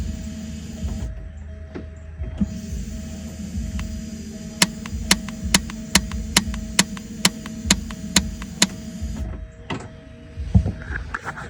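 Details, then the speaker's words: 41-year-old Porsche 944 starter, removed from car: about ten sharp clicks, roughly two a second, no cranking; solenoid clicks but pinion does not extend fully. Owner suspects poor ground; ignition switch signal tested good. "um so what's going on that pen is not going all the way out only thing I'm doing is hearing it click I'm not sure if I have a good ground or anything"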